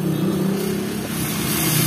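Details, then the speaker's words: Astron mini desk electric fan, bought a day or two earlier: loud, steady low hum and buzz with strong vibration, still shaking when held; caused by out-of-balance fan blade. "Yan Yan ang concern niya dinig niyo halos tumatakbo yung ano malakas yung vibration k ingay pa ito pag hinawakan ko yan talagang Gumagalaw pa rin siya"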